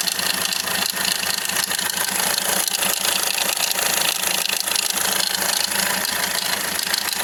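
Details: 2010–2016 Hyundai Accent CRDi diesel sedan at idle: fast, uneven metallic clatter over the engine noise from a loose timing chain slapping its guides, a common problem on this engine.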